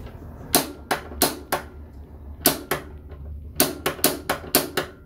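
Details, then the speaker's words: Potterton Prima B boiler, front panel off, piezo spark igniter pressed at pilot burner and thermocouple before repair: sharp crisp snaps in irregular bursts, about a dozen over five seconds; igniter sparking normally, though pilot flame later found too small, likely from a partially blocked jet. "you can see the pilot burner the thermocouple so i'm just gonna do the spark piezo"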